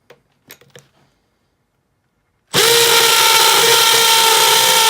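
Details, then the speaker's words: Makita XPH07 brushless cordless hammer drill in hammer-drill mode with a concrete bit, depth gauge set, drilling a cinder block: a few light taps, a pause, then a loud steady high whir with fast hammering rattle; normal hammer drilling. "I'll just line that depth gauge up of how deep I want it to go and then we'll tighten it down and now we'll drill through that depth so let's do it"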